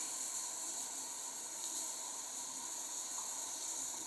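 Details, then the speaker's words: Wilesco T115 model steam turbine boiler at low pressure; steady, even high hiss with almost no low end. Owner thinks steam is leaking from around the pressure gauge, not confirmed. "All right, we have an actual leak somewhere. I can't quite feel where that is. I think it's actually from around the pressure gauge."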